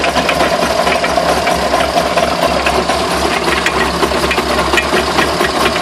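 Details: Rapid irregular knocking and rattling over a steady running hum throughout; source unclear, and the owner asks whether the drive shafts are bent.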